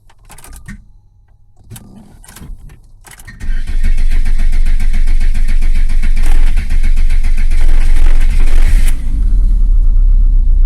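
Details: Volvo 480 after cleaning a worn distributor cap: starter churns steadily about four turns a second for several seconds but never fires; crank no start.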